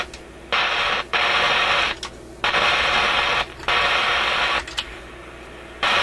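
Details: Canadian General Electric KM-5 vacuum tube radio, warmed up, fault seemingly in the audio output circuit: a loud hissing crackle cuts in and out abruptly over a quiet hum; a heat-related contact making and breaking is suspected, cause unidentified.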